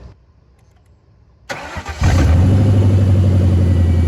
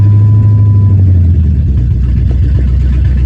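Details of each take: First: Lifted Lincoln Town Car V8 at idle after storage, lumpy uneven idle with a regular stumble; unplugging each one in turn shows one cylinder makes no change, so that cylinder is dead, causing a single-cylinder misfire. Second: 1999 Lincoln Town Car V8, 3-inch lift, revived from storage, fuel tank patched, still has big vacuum leak and needs priming to start; steady low idle with even smooth beat, no misfire: normal idle.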